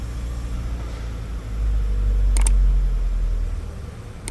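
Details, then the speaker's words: Mazda CX-5 2.2 dual-turbo SH diesel with hard-starting/stalling issue, after feed pump replacement; deep steady rumble that swells then settles to normal rpm idle without stumbling or dying; no longer stalls, to be run 10-15 minutes to confirm. "yan umaandar na siya hindi na namamatay Abangan natin baka biglang mamatay na naman"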